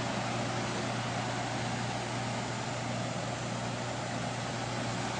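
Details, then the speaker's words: 2007 Classic 3-ton R22 central air conditioner condenser with a brick on it to stop a rattle: steady, even low hum and smooth fan rush, no rattle or knock; quiet, normal running. "as you can tell it's very quiet and very smooth running"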